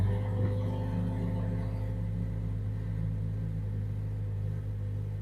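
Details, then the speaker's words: Mazda CX-5 just started, codes for random misfire, high idle RPM, lean bank 1 and MAF range/performance: low, uneven idle with stumbling miss, nearly stalls; caused by faulty MAF sensor. "oh yeah I can hear it missing try gear oh wait a second sounds awful on it own"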